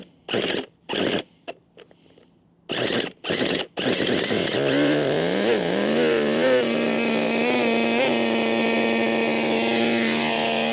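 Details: HPI Racing MT2 4WD nitro RC truck, about 20 years old and long unused, primed before starting: several short sputtering bursts, then it catches and runs with a hunting pitch; hard starting, thought to be a bit clogged from sitting.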